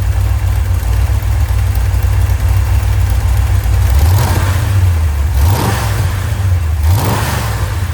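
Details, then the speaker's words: Rebuilt 1990 Mopar 318 V8 from a D150 truck, honed, new Rock Auto parts, Comp custom-grind cam, Air-Gap intake, warm restart: steady even rumble with three clean throttle blips rising and falling smoothly, no knocks or misses; normal start and rev. "But I feel pretty good about our little Rock Auto special here. Start it one more time."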